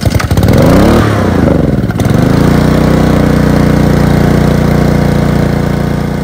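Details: Ryobi pressure washer with Honda engine, used once then left with old gas; gas drained and starting fluid sprayed into the air intake: brief uneven sputter settling within two seconds into a steady, even run; normal start and idle.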